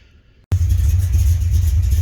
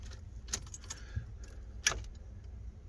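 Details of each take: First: 1980 Corvette C3, first start in 2 years after charging battery and priming fuel: fires abruptly into a deep, even rumble that holds steady; starts cleanly and runs healthy. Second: 1980 Corvette C3, first start attempt in 2 years: brief two-second crank with no catch and no fuel pump hum beforehand; engine cranks but won't start, fuel pumps not running suspected.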